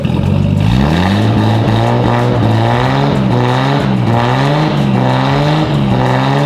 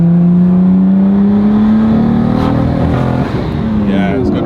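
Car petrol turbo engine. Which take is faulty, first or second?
second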